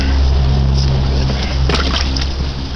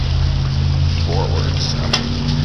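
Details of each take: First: 1959 Kiekhaefer Mercury Mark 6A outboard, unstarted for three years, same old fuel, choked in neutral: catches unevenly, popping and stumbling in irregular bursts, surging then fading; sputtering start that still wants to run. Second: 1959 Kiekhaefer Mercury Mark 6A outboard, first start in three years on the same three-year-old fuel, choked and in neutral: a loud, steady two-stroke drone at even speed with no misses or surging, running smoothly.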